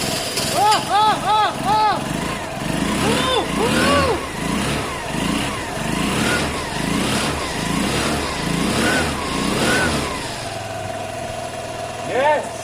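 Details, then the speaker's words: Vespa after an engine swap from 125cc to 50cc and back to 125cc, which had not run until now: the engine catches, revs in short blips, then settles to a steady idle, starting and running fine. "that's an engine it works it runs"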